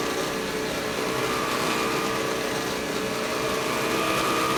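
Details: Vintage Electrolux power nozzle (obtained free), before brush roll replacement: steady high motor whir with a rough, uneven rattle and no speed change; the worn brush roll is the likely cause of the noisy nozzle.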